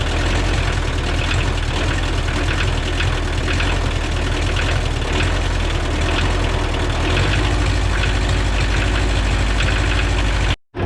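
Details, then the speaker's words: Free Kubota L285 compact tractor diesel after new glow plugs, oil change and new 800CCA battery: steady low idle with smooth regular beat, no knocks or misses; engine running healthy. "It runs great. Starts right up. The glow plugs made a world of difference."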